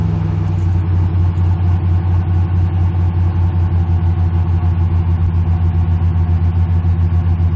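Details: 2006 Mustang GT 4.6L 3V V8 with Flowmaster exhaust, after replacing all 8 coil packs: deep, even idle burble with a steady fast pulse and no misfires or stumbles; normal idle.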